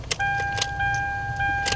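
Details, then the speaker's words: Hyundai Tucson, ignition on: behind the dash the blend door actuator motor hums while sharp, irregular clicks knock through it; the blend door actuator is causing the knocking, to be replaced. "yan ito yung papalitan natin ito yung nagco-cause ng ingay blender actuator yung tawag diyan"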